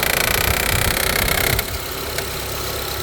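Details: 2014 Honda CR-V LX in reverse: a fast tinny rattle of about three to four beats a second over the idle, then drops away. The owner suspects a belt tensioner; the cause is unconfirmed.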